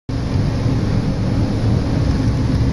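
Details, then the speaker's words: 80% furnace running: a loud, steady low rumble and rattle because the inducer motor is badly out of balance; the inducer motor is to be replaced. "apparently the inducer motor is an eighty-percent furnace the inducer motor wiill is way out of balance"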